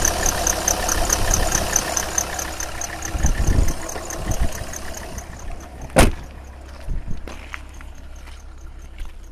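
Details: 2001 Alfa Romeo 156 2.4 JTD diesel at idle: fast, repeating high-pitched bird-like chirp that fades as the engine settles. It occurs below about 1100 rpm and above 1600 rpm. Cambelt was replaced 4 months/8000 km ago. Aux belt was renewed except a worn crank damper pulley. Both belts are properly tensioned; aux belt suspected.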